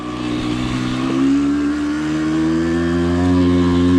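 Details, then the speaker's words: Suzuki SMX 50 two-stroke on first test ride after engine rebuild, during break-in: buzz labours uphill, revs climbing slowly with no bottom-end power until resonance; owner suspects lean needle setting, rear brake also found dragging. "nie ma mocy zupełnie z dołu widzicie czek czeka czeka czeka rezonans Zaraz wejdzie"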